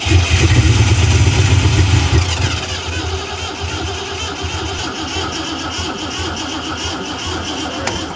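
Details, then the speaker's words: Ford Fox Body Mustang project car on its second start attempt: engine catches for a couple of seconds, then drops away leaving a steady, high spinning whine as the starter stays engaged. "Well, that wasn't good. I thought it was running for a second. Holy shit. I was like, why is it whining so bad? Well, we'll give the starter some time to cool off because that was pretty crazy."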